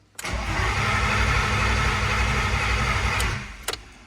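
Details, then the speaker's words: S52 turbo BMW wagon after winter storage, started with a boost box: the starter cranks about three seconds but it never catches and no fuel pump hum is heard. The Walbro 255 pump fitted last fall is dead; rapping on it didn't help. "Really? I tried rapping on the fuel pump, no dice, so I gotta look at this charger for sure, but also means I have to look at the fuel pump again."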